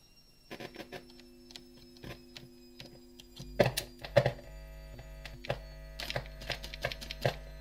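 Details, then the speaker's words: Arcade machine with a cheap 12 V car amplifier: steady low electrical hum under sharp clicks and handling noise; a dodgy connection not earthing is suspected, possibly the cheap amplifier, with a slight hum remaining when the amp is shut down. "Obviously we've got a dodgy connection somewhere and it's not being earth. That sounds like to me there's an earth."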